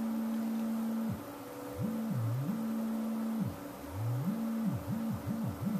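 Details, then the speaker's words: Kustom K200a (J595) speaker cabinet, drivers feared blown: low-volume sine-wave tone of about 200 Hz, pure and fading in and out without distortion or rattle. No cone or voice-coil rubbing, so the speakers are fine. "And usually, if you get a clear tone out of them at this low volume, they're usually fine."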